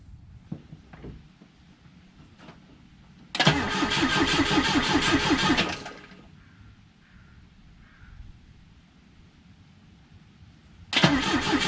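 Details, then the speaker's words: Volvo B20B engine cranked on the starter without fuel after a cooling system flush and refill, oil in and cylinder walls lubricated: two short bursts of even, steady compression beats with no firing, sounds healthy; battery seems to need charging. "six six six sounds healthy i think the battery needs to be charged up again and this that was a good test"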